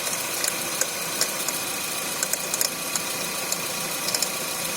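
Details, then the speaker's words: 2011 Renault Fluence engine, bonnet open, cold engine at idle, noise worse on acceleration: sharp light uneven clicking ticks over steady engine hiss; mechanic suspects belt tensioner vibrating heavily, seen out of its mark; unconfirmed, mechanics disagree. "Tá vendo, galera? Um barulho de estalo. O mecânico falou que pode estar vindo dali, ó. O tensor que tá vibrando bastante."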